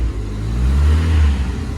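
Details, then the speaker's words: Ford Escort RS Turbo S2 barn find after engine overhaul, with a new spark plug in number one cylinder curing the misfire: deep, smooth engine note swelling evenly on a short rev and settling back, no stumble. "i'm just going around the back chris can you give it a little rev sounds sounds beautiful"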